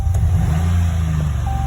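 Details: 2013 Dodge Ram 1500 5.7 Hemi, misfire cylinders 6, 7, 8, timing codes, won't hold idle, barely idles in drive: low, lumpy V8 idle with uneven beat and stumbles; lifter failure suspected, engine to be overhauled, not yet confirmed.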